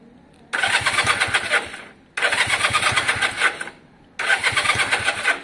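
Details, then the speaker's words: Honda CB200 after starter button/solenoid wiring fix, key on: three bursts of brisk even cranking about 1.5 seconds each, engine spinning freely; starter circuit working fine. "but if i switch the key on if i'm right with laguna's help and john's help and everything else it should actually try and start off i don't want it to start up"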